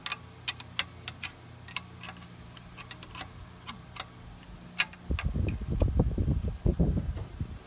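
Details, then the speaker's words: Onan/Lister-Petter MEP802A military diesel generator, injection pump rack misaligned after a rebuild: scattered clicks then rapid uneven cranking that never catches; good squirts from the pump except the number two injector; cranks but fails to start. "here's my injectors when i crank it over you'll see i got good squirts from the pump not so much out of that number two though"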